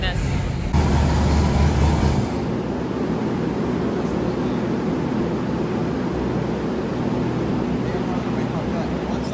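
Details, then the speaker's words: Freshly built Chevy LS3 427 V8 in an Ultra4 car on the dyno, stock ECM: lopes at a low uneven idle with rough rumble, idle air control valve wide open and screaming; insufficient base airflow, fix is adding bypass air. "That's why it fired up and it's kind of running and low idling is the IC is wide open. You can hear it screaming. So I have to give it more air, more bypass air so that it won't rely on the IAC."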